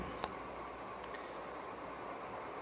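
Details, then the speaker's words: Vintage Silkon 48-inch ceiling fan running on high: steady even roar, the rough drone of worn motor bearings. "them bearings roaring in that one."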